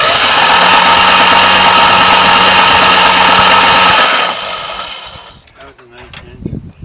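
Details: 1973 Duster slant six, sat in a field 20+ years, cranked with spark plugs removed: steady, even starter whir about four seconds, no banging or knocking, then stops; turns over freely.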